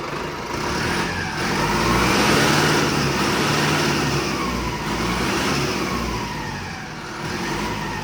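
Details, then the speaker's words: Mahindra Arjun NOVO 605 DI tractor diesel just fitted with turbo kit after three days' work, revved: clear whistle climbing and dropping with revs; healthy turbo spooling. "भाई turbo की गजब sound आ रही है।"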